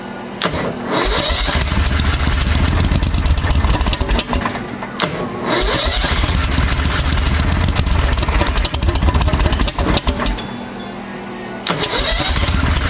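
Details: 1992 Club Car golf cart with a swapped-in Briggs V-twin and a new CVTech secondary clutch, after sitting about six months: long cranking spells with short pauses, catching and stumbling before it keeps running; hard start.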